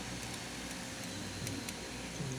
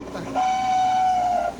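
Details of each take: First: Refrigerator fan after lubricating its shaft with oil: soft, steady, even hum with no squeal, rattle or grinding; the strange noise it had made for days is gone. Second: Refrigerator making a strange noise for days: steady high squeal of about a second traced to the fan, from a dry, stiff motor bearing.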